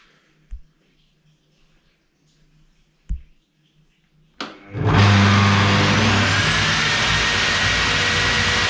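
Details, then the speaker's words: Bosch GTS 635-216 table saw with original blade, start-up: quiet room, then motor spins up hard into a loud steady whine with low rumbling shake; heavy vibration at switch-on makes a flat wrench on the table move. "alors je rallume une deuxième fois faites bien attention début vous entendez une grosse vibrations vous avez vu la clé plate bouge lorsque je l'allument ça vient dire qu'à une petite vibration qui se fait"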